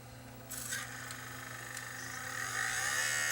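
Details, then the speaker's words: Sony DCR-TRV530 camcorder with a tape new to the camera; low hum, then a rough scraping rasp building over seconds; the cassette sits slightly too far in, or may not be lifted high enough, so its lid touches the head drum. "that the cassette has gone in just a little bit too far and it's touching up against the drum right here"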